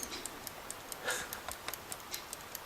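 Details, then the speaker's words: Travel alarm clock, wind-up with alarm, held close: quiet, crisp ticks about five per second, steady and even in a still room; the movement is running normally. "And if you listen very carefully, I don't know if you'll pick that up. Can you hear it ticking?"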